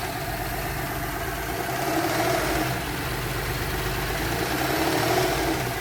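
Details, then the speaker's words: 2013 Porsche Cayenne VR6 (iron block, aluminium head) idle: wavering, shaky vibration with faint hiss, rpm hunting up to about 1500 and dropping back, also causing rough gear shifts; traced to a blocked PCV valve. "دابا راه كاين واحد الفيبراسيون، ما يبقاو معايا. الار بي ام كيلعب بزاف، ها نتوما كيطلع حتى لواحد ونص وكيعاود يرجع. شوفوا المحرك ديالها، سمعوا المحرك كيفاش كيدير الفيبراسيون وماشي ثابت."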